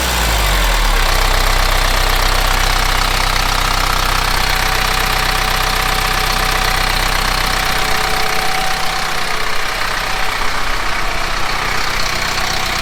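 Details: Kubota M15GX engine idling after a full engine rebuild, no coolant added yet; steady, even clatter at about four beats a second with no odd knocks; owner wants to gauge actual oil pressure; normal idle.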